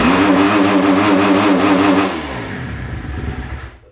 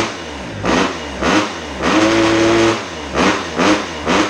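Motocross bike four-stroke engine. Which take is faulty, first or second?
first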